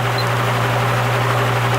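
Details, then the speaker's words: Repaired spare plastic Marco motor with blade from vintage Lasko/Galaxy box fan on low speed (red wire): constant low electrical hum, even airflow hiss, no rattles or rubbing; the usual hum of these plastic motors; about 1 A, 80-82 W; normal. "Alright, now we'll do low speed, which is the red wire. It's got that nice motor hum that these plastic motors usually have."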